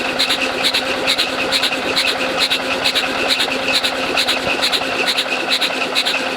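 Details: International Harvester Cub Lo-boy tractor, rebuilt C60 engine, cranking with spark plugs out to prime oil pump before first start: even unfired cranking, light rhythmic clicks about twice a second, no compression thump; spins freely, oil reaches pump.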